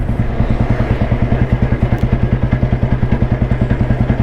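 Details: Royal Enfield Bullet with crank weight, believed to be a 1993, in top gear at about 25 km/h and slowed down to show torque: big single thumps evenly at about 200 beats a minute under light load, steady and clean, pulling smoothly with no lag or knock. Normal low-speed running.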